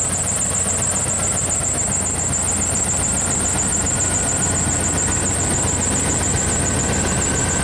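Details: 1995 Pace Arrow Coronado motorhome generator on Chevy chassis, rodent-damaged wiring, restarted after reconnecting ground: steady, even engine note with faint high charging whine, charging at 75 amps, no knocks or misses — normal running.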